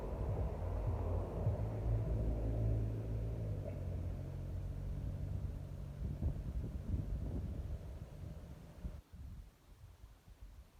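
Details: Briggs & Stratton XC 35 lawnmower, built 2006, after repair: low even thrum holds steady, then dies away at shutdown; it had not started because a loose brake/kill-switch cable kept the switch closed, fixed by bending out the cable holder.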